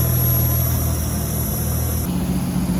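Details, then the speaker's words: RB25DET-powered Nissan S14 Silvia warming up at idle on dyno day: a thin, high whistle as trapped air bleeds from the cooling system while coolant circulates. The thermostat may not be opening (possibly faulty). "so we've turned the car back on and you guys can clearly hear the air coming out from here"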